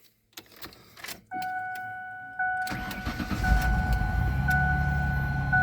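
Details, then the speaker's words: Old Ford van with a dead battery revived by charging with a DC stick welder at about 70 amps, now reading 12.7 V: warning chime, then brisk crank, engine fires promptly and settles into a steady idle; normal cranking and start. "wow that's crazy that sounds very good"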